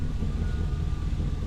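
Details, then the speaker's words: Chevy Suburban 8.1L V8 after fuel tank straps reinstalled and everything reconnected, previously running intermittently: deep steady rumble, even beat, no stumbling; normal running with fuel pressure restored. "sounds like we got fuel pressure"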